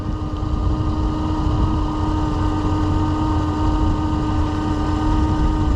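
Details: 2015 Chevrolet Suburban with a dead, non-charging battery: a steady idle with a constant mid-pitched whine. The alternator runs at about 150–200 degrees while the engine is still cold, with under 12 volts; the alternator is suspected and replaced.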